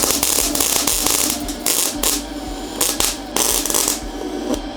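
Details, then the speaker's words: MIG welding 10-gauge steel at default settings: uneven crackling arc with sputtering bursts and dropouts instead of a steady sizzle, arc traveling up the wire; burnback from excessively long stickout, improved by holding the gun closer. "yeah it's doing this thing where it's traveling up The Wire yeah one thing I noticed your stick out was super long try just getting closer"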